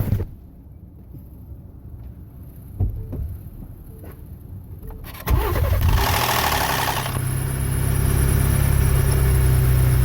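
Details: 2017-18 Ford Expedition 3.5 EcoBoost after sitting long or in cold weather: cold start gives a brief harsh metallic rattle fading into steady idle, recorded by phone; VCT cam phaser rattle, fix is removing timing cover and replacing VCT phasers.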